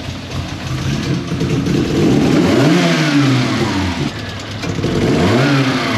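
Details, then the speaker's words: Mk1 Ford Fiesta with Zetec engine conversion, cold: idle surges up and down and never settles, engine tends to die when throttle touched cold; a vacuum leak attributed to excess air through the PCV, before cambelt/timing reset and PCV fix. "but as you heard In that clip the idol is absolutely terrible especially when she's cold"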